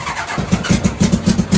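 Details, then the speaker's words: NasKart go-kart after misfire diagnosis and fix, started with fuel pump on: engine catches and climbs into quick, even revs with steady pulses, no popping or stumbling; normal start and revving, much smoother. "No way! So guys, this thing definitely feels so much smoother."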